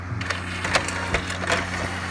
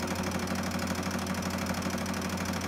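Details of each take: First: Pioneer CLD-D503 double-sided LaserDisc player, laser sled previously stuck at end of travel with dry rail, powered on after freeing it by hand: steady low hum with light spaced clicks and whirs, no rattling skip; sled now moves normally. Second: Pioneer CLD-D503 LaserDisc player, started rattling when playing a disc: continuous fast buzzy clicking rattle inside for about three seconds, then a sharp clunk; the laser sled is stuck and chattering.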